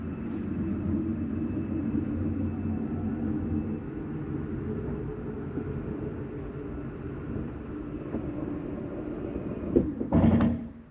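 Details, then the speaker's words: 2017 Keystone Cougar 337FLS slide-out retracting: steady motor drone for about ten seconds, then a short harsh grind as it hits its stop; normal end-of-travel noise. "That's just the slide mechanism telling itself not to come in any further. So it makes a little grinding noise. You'll hear it on every unit ever made, just about."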